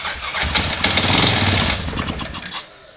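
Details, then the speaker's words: Yamaha Grizzly 600 ATV (about 1998–2001) single-cylinder with brake cleaner sprayed into carburetor: catches and fires in ragged, uneven bursts for about two seconds then sputters out; sounds bad, cause not confirmed. "Oh, yeah. She sounds bad, brother. She does not sound good."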